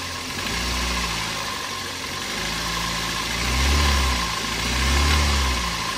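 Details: Toyota Avanza at idle and revving: rough uneven knocking under the engine note, louder when revved; timing chain sounds fine, piston knock suspected, not confirmed; head gasket seeping oil, engine to be rebuilt.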